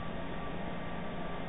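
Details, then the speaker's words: 16 kW Generac Guardian natural-gas standby generator, heard muffled from indoors, auto-starting on simulated utility outage: steady low drone with no surging or misses as it runs up to speed before the transfer switch switches over; normal. "you hear the generator starting up outside and the generator runs up to speed and when its voltage is correct there we go it switches over to the utility power or the generator power"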